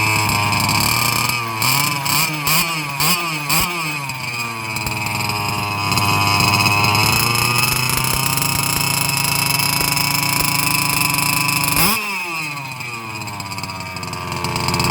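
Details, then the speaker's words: Losi 5IVE-B fifth-scale two-stroke buggy on stands, tank nearly empty, no throttle applied: buzzy revs wander and climb on their own without snap; lean running from low fuel, should be killed at this point. "You can hear how the motor is kind of almost going. It doesn't really have that snap to it. That means it's starting to really run low on fuel."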